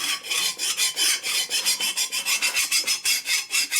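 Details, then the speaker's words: File ringing sharply on a high spot of the cylinder deck during a custom 56ci (4-5/8 in) stroker flathead build for a 1942 Harley WLA 45; quick even rasping strokes, about five per second, with a sharp ring each pass as the file bites the high spot. "You hear that sharp ringing, that's the high spot. So the files dig it into something."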